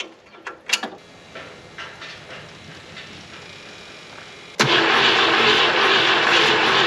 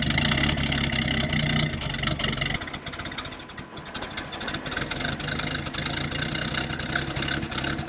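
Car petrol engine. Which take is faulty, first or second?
first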